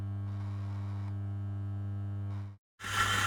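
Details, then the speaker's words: Eureka Mignon Oro Single Dose coffee grinder, factory replacement unit, running unloaded, recorded with Zoom H5 about 10 inches away, no processing; steady even motor hum, no rattle or scrape, much quieter than before, like any Mignon, slight vibration. "So the Eureka is vastly improved in this regard. It sounds like any other Mignon series grinder."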